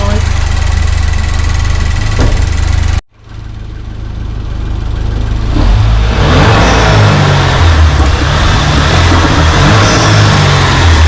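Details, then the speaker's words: 2008 Pontiac Solstice GXP turbo, with the engine bay open: catches after a brief cut, settles, then revs in smooth rising sweeps with no knocks or rattles; healthy turbo engine. "We're gonna have Eduardo start it up so we can hear the engine."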